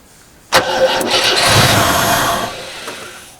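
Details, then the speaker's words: Rover SD1 with newly fitted 14CUX EFI, first crank attempt: starter turns the engine slowly and laboriously without catching on a supposedly new battery; weak battery, jump start needed. "Fuck me. Well, that's a good battery, isn't it? That's supposed to be a new battery."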